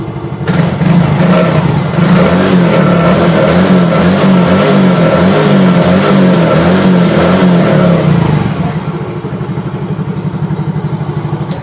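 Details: Yamaha X-Ride fuel-injected scooter after repair, spark plug cap refitted; the brown wire shorting to the black wire had burned the fuel pump IC. Kick-started, it catches in half a second and settles into a steady, even single-cylinder beat. Running normally.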